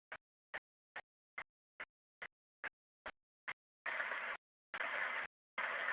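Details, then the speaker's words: Structure-borne ultrasound on an already adequately greased bearing as more grease keeps being added: crisp ticks, about two per second, give way to a loud rushing hiss as internal friction and stress rise. Over-greased bearing. "and you can clearly hear that the bearing is now getting more and more under stress as as it's getting more and more grease uh added to it and the friction on the inside increases"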